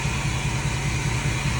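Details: 2016 Ford F-450 4x4 with 155,000 miles, wheels spun up then released: steady low droning hum with a faint high whine, very noisy and rough; rear differential bearing failure, first thought pinion bearing, found to be carrier bearing.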